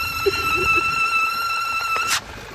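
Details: 2012 Volkswagen CC 2.0 TSI with check engine light and 17 fault codes: a loud, steady high-pitched whistle over the running engine from a failed PCV valve, previously blamed on the transmission.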